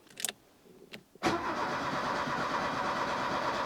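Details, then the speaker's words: 1984 Opel Ascona 1.6S Touring, 90hp, sat some years, fresh battery installed: a few clicks, then even cranking with steady compression but it never catches; crank no-start, likely no fuel, gauge reads empty. "oh yeah it is turning and it's sounding decent even compression uh at least but it's not starting it's probably not getting any fuel"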